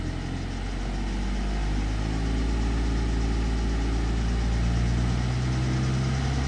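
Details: 2009 BMW 320d E90 N47 diesel at 67,000 km. At idle a light, fairly even tick of about four per second sits over a low rumble. The owner asks whether it is a loose timing chain or normal; this is unconfirmed.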